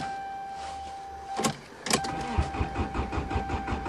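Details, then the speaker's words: Subaru, winter cold start after parking: door thud, then starter cranks with even rapid pulses, engine never catches, no fuel pump hum heard; owner suspects mice chewed the fuel pump wires. "well since I don't hear the fuel pump I think something happened mice probably chewed the wires too bad piece of [ __ ]"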